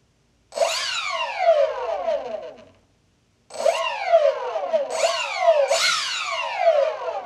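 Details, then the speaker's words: Freewing AL-37 twin 70 mm electric ducted-fan jet after ESC throttle calibration: fan whine sweeps up and down in even bursts; both motors start, stop and deliver power together. "yeah both motors start at the same time both stop at the same time even the power and that's gonna be an important thing on a on a twin it's even power"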